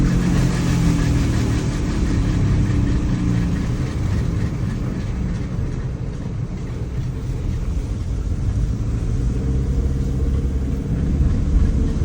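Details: Engine running unevenly with a low, rough rumble and an irregular beat around three a second; the owner asks what is making the noise, and the fault can't be identified by ear.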